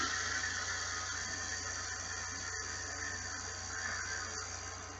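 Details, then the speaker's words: Quantum Smoke PT SL 150 HPT baitcasting reel in free spool after installing Boca bearings, brakes off, not yet broken in: smooth, even whirring spin that keeps running far longer than with the stock bearings, no catching or grinding; normal free spool spin. "gosh it's going just keeps going still going still going still going still going slowing down a bit but still going still going still going and stop that's insane compared to the stock bearings"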